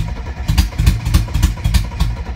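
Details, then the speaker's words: 1992 Mercedes 300TE with no catalytic converter or muffler cranks at about two pulses a second, coughing and sputtering irregularly but never catching; no throttle applied. It ran the other day; owner suspects inconsistent spark or fuel from only some injectors. "so you see it sounds like it's got inconsistent spark to me it could be that maybe it's only getting fuel out of some of the injectors i don't know"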